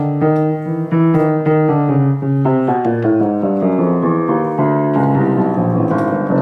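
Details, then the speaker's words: Very old rebuilt grand piano of unknown brand, with reshaped replacement hammers and broken hammer glue joints: notes land with a dull woody thud and clicky sound from a loose hammerhead, with felt worn away. "so that that sound there [Music] the sound of a loose hammerhead that [Applause] [Music] clickiness"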